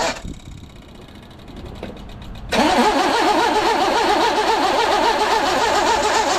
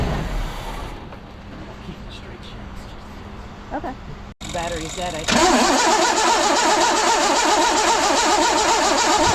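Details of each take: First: 1982 GMC S-15 cranking, battery possibly dead; harsh warbling metallic grind rising as the starter engages, starter not meshing cleanly. Owner plans to shim the starter. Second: 1982 GMC S-15 pickup after the loose one-bolt starter was refitted: brisk, even cranking with no grinding or clashing at engagement, then a steady run. Starter sound fixed, though it possibly still needs a shim.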